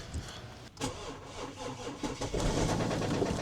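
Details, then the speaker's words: 2011 BMW 535d xDrive N57 diesel, first start: heavy irregular knocking at about three per second hammers through the diesel clatter right after it fires; bottom-end damage, engine sounds about to break. "Oh man, it's crazy how it knocks so loudly. Okay, it feels like it's about to throw a crankshaft out. It literally sounds like it's about to break in half."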